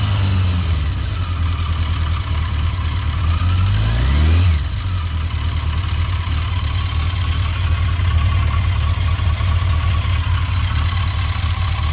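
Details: 1982 Yamaha XJ650 Seca four-cylinder motorcycle at idle: a light, quick ticking over the low engine hum; owner worried, cause unknown.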